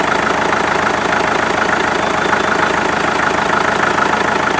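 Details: Rebuilt 1947 Farmall MD diesel tractor idling outside after its rebuild (injection pump seals, new fuel filters, lines blown out, new water jacket gaskets). Even beat of about 200 per minute, ordinary clatter, no misses; sounds healthy.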